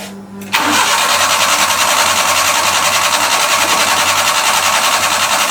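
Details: Carbureted truck, carburetor under the firewall, running rich, started after one pump of the throttle: catches after a short crank, then a loud, uneven beat at three to four pulses a second; rough running, cause unknown.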